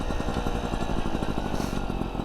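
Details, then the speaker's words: Vespa Ciao with a new engine, 43mm DR kit and new exhaust, 50 jet: uneven burbling beat that won't clear into a crisp buzz, four-stroking without reaching the power band; owner suspects the jet is too big, maybe needs a 48. "so it sounds like the jets almost too big just kind of four stroking but yeah that's what's happening because it doesn't feel like it's getting into the power band"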